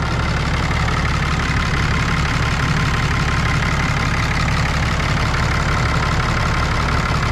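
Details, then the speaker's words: 2012 Ram 3500 6.7 Cummins after cylinder head and head gasket replacement for a leak or suspected cracked head: deep, steady diesel idle clatter with an even beat, hitting on all cylinders, no odd sounds or check engine lights. "It's noisy in the way that a Cummins should be noisy. Other than that, I think I'm ready to take this thing for a test drive."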